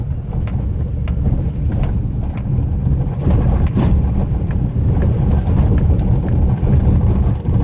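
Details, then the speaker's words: Maruti WagonR K Series driving over rough paver-block road: loose, irregular light rattling ticks over road rumble from the front, plus a seat noise. "ये आवाज़ आ रही है आपको? जैसे कुछ लूज है। ये रोड पे आपको ये आवाज़ प्रॉपर आएगी।"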